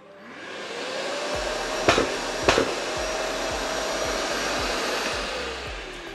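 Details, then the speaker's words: Makita VC4210MX2 1200W 42L wet/dry M-class dust extraction vacuum, wirelessly paired to a Makita 40V mitre saw: even vacuum roar with two sharp backfire-like pops. This is the normal automatic filter cleaning, which can be switched off by turning the dial past on. "I'm going to turn it on for you so you can hear what the auto cleaning sounds like so that you don't freak out like I did when I turned it on for the first time. It kind of sounds like a car is backfiring."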